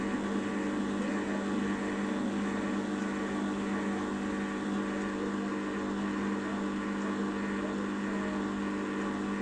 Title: washing machine apell slow down from 1000rpm with bad bearings